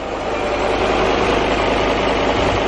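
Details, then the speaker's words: Abandoned VW Touareg V10 TDI diesel, first start after the battery was connected directly: a smooth, steady idle with a constant airy hiss on top; owner suspects a leak, and no smoke is seen. Leak-like hiss at idle. "don't know it sounds like it's got a leak at the same time so i'm not 100 sure if this is right but it is running"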